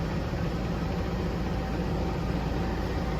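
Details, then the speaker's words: Ford at idle: low, rough, lumpy pulse from a dead miss on cylinder 4 (passenger side, rear), shown by a power balance test. It persists at 1800 rpm and gets much worse under load. Traced to a bad coil and plug. "Cylinder number 4. Dead miss on cylinder number 4 at idle."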